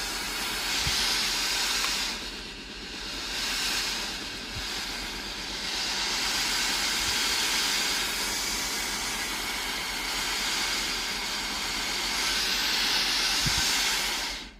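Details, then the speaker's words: Philips AIS8540/80 steam iron after replacing the faulty water pump: strong, even steam hiss in long surges with soft clicks between, showing steam output is back to normal. "Testez le système de distribution d'eau en appuyant sur le bouton ; la vapeur doit sortir normalement."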